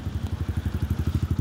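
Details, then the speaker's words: Kawasaki KLX 150 after timing chain and camshaft replacement and a valve clearance adjustment, on its first start: a crisp, even single-cylinder putt at about ten beats a second with no ticking or clatter, a healthy steady idle; some exhaust smoke from oil noted afterward. "Sige. Pag gasolina sa okay. Ops. Sige lang. Kaya to adjust na tapay ni buoy daw. Ayan umandar na."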